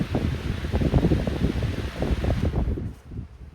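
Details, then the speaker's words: 14-inch Lakewood high-velocity fan (1999-2000) switched off from full power; a soft, low whoosh of light blades coasting fades within a few seconds; a short, natural, free spin-down. "spend down time is short it's pretty decent yeah that's a natural spin down time that's natural the blades are kind of light"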